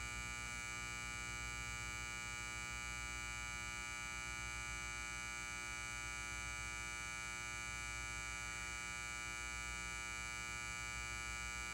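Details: Lithonia Lighting 250W pulse-start metal halide high-bay light, LumaSuper ED28 bulb, base up, M153/O ballast, 11 months old, turned on: a constant buzz at a steady mains pitch with bright overtones, no flicker or sputter; normal loud ballast hum.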